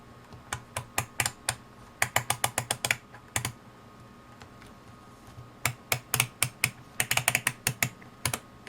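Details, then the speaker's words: UNI-T UT61E+ multimeter function switch just after a 50,000-cycle life test: crisp, even detent clicks in quick bursts as the dial is turned through its positions, quiet background; switch still clicks well and sounds healthy. "So I've just finished the 50,000 cycles. You can hear it clicks pretty good still."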